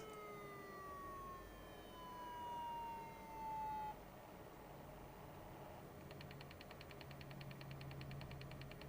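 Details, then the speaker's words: IBM ThinkPad 760 laptop at power-on with error code I9990305 shown: a falling wail sweeps down for about four seconds, then rapid pulsed chirps follow; siren-like alarm tone, cause unknown. "What is that noise? It's like it was stolen or something."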